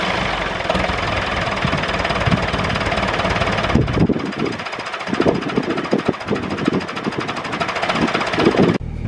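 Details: David Brown 996 diesel tractor, left sitting about 10 years (since around 2012), first start after sitting: rough but steady diesel clatter with a loose even beat over background noise, idling on its own; normal diesel idle.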